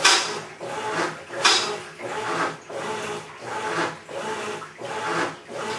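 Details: Maytag Centennial Commercial Technology washer, about 14 months old, just past one-year warranty, overloaded for demo: gritty rasping grind like a cement mixer churning gravel rises and falls with each agitator stroke, about forty a minute, during wash agitation.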